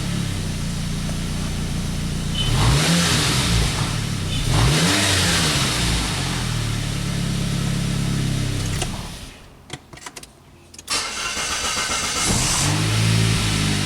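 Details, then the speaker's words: 1999 Saab 9-3, previously a crank-no-start, now fixed: the engine fires and revs up repeatedly, then drops to a smooth, even idle after a brief pause; it starts right up and runs fine. "starts right up."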